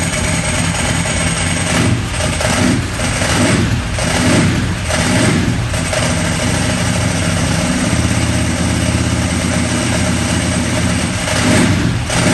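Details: Ducati 998 Testastretta after inspection service with diagnostic tester: lumpy twin-cylinder beat with throttle blips, then steady loping idle; engine runs healthy and even.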